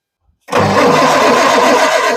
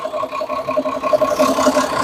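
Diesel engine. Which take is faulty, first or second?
first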